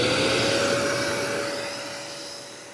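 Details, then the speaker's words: Harbor Freight Hercules 12-gallon HEPA dust extractor running in a shop that reads 45 dB with it off, with self-cleaning on; a smooth, steady whoosh with a constant high tone and no rattle, fairly quiet, so normal running. "A lot of sle quiet, too. It's not that loud."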